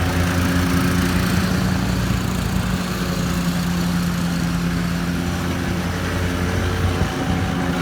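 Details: 2013 Walker T23 mower, 23 hp Kohler twin, repaired after years sitting in a paddock (new hydraulic line), cutting grass: steady, even twin-cylinder drone holding speed under load, no knocks or misses; healthy.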